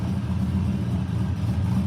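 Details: 383 stroker V8 (Dart block, aluminum heads, noisy gear drive, supercharged nitrous cam, Phytech injection, Turbo 400) with 3-inch MagnaFlow turndown exhaust: deep, steady loping rumble with even low plops at idle, nothing metallic; normal idle.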